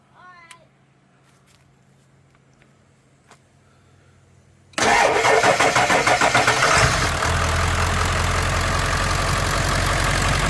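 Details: Ford F-250 7.3 Powerstroke diesel after topping up low oil and charging the battery: waits for glow, starter cranks and it fires within about two seconds, settling into a steady, even idle clatter.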